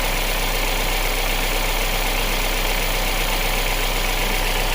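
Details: 2019 Kia Sorento petrol SUV that ran rough, surged and stalled with no codes, idling steadily and evenly with no stumble after a broken MAP sensor wire was fixed and the MAP sensor pushed in; MAP sensor also bad.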